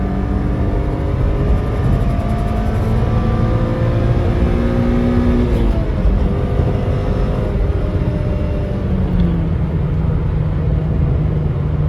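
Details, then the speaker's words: Right-hand-drive JDM Toyota Altezza pulling: a strong, clean engine note that climbs steadily, then a shift and it pulls again, smooth and even with the engine clearly audible; normal engine under acceleration. "they're not trying to quiet this car down like they would with like the lexus the lexus it's a quieter engine from what i know and whereas this thing you can like hear you can hear everything which i"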